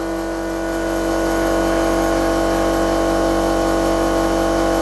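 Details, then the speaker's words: Old air compressor supplying a regulator for cylinder leakage testing on a Rover 75 1.8 K-series. Loud steady drone with a hard fixed hum and a rattly pulse about four a second; noisy from age. "your compressor's noisy that's cuz it's old"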